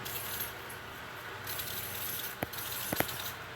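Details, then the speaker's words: Tufão household fan running: steady air rush with a thin, very high squeak like a frightened mouse, from dry motor bearings. "Parece um barulho de rato quando ele tá com medo, gurizada. Barulho fininho, ó."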